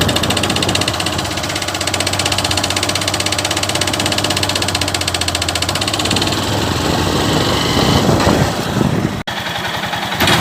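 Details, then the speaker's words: Honda Fan 150 single-cylinder motorcycle: knock heard on gear changes and on acceleration up hills, resembling connecting-rod or piston slap but coming from the clutch side. "Esse barulho é muito parecido, né, com o barulho de biela ou de pistão batendo, né, batendo aqui no cilindro."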